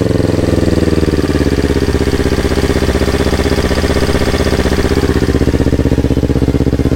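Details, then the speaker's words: Yamaha R25 with a swapped-in R3 engine at its first start, on a borrowed Akrapovic exhaust, before ECU mapping: a steady, even deep burble at about four pulses a second with no misses or knocks, a normal healthy idle. "Oke, nih first startnya R3. Nanti kalau udah oke semua, kita lanjutin lagi."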